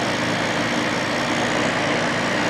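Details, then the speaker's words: 1995 Carrier VisionAire air conditioner after clean-out, rear Fasco fan motor freshly oiled: smooth even whoosh of air with faint steady hum, no ticking or scraping; fan motor running normally. "fan in the back seems happier now that it's oiled"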